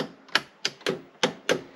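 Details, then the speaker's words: 1985 JDM Toyota Corolla FXGT (AE82) electric door locks: six sharp clacks about a third of a second apart, some softer; locks sticky, owner suspects they need lubrication. "the electric door locks are a little bit sticky they probably just need to be lubed up or something but they they're putting in the effort"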